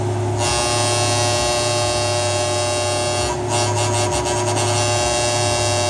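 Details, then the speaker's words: Welder on mains with a contactor relay stuck half-closed: a steady, harsh electrical buzz at one pitch without letup; goes away when the relay is pushed closed by hand. "So, you can see it's just it's just stuck. I'm just helping it close and it just sound goes away."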